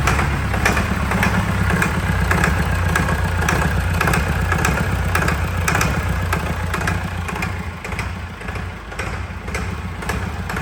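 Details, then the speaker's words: Fire-damaged diesel in 1989 Sambron D2000 telehandler after wiring-fault fire, running at about half throttle; steady even diesel clatter with deep regular firing beat, no misses or knocks; engine runs smoothly and is worth salvaging. "put back the engine sounds lovely I know I'm pleased with that can't believe it actually runs all right"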